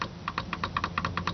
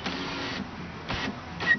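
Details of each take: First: 2000 Oldsmobile Bravada rear door window motor, door panel off, switch operated: sharp dry clicks, mostly in pairs, with no motor whir. Switch and wiring are fine; the motor is probably jammed, possibly needing its brushes cleaned. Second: 2000 Oldsmobile Bravada (Blazer/Jimmy) rear door window motor after rebuild, reinstalled with two 1¼-inch bolts and locking nuts in place of rivets: short bursts of clean, even whir stopping cleanly, no grinding or stalling; window works properly.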